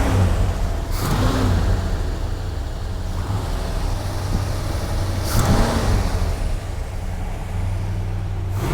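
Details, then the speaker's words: Chrysler 300J with 413 Cross Ram V8 idling during carburetor tuning, lumpy low rumble with faint irregular puffing on one side; a possible exhaust leak is suspected, not confirmed. "Is there an exhaust leak by any chance? You listen to it on this side."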